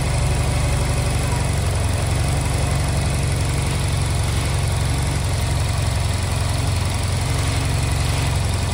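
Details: Honda Silver Wing scooter that would not start, after new spark plugs were fitted and during air/idle synchronization adjustment: steady, even low idle with a smooth deep beat, no knocks or misses; normal idle.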